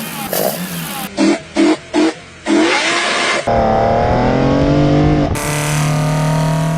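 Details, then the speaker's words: Engine with individual throttle bodies; sharp throttle blips then rising raspy intake howl climbing cleanly with revs, normal healthy intake sound. "And the lack of restriction along the intake path also really benefits high RPM power. But the main benefit, if I'm honest, is they sound like this."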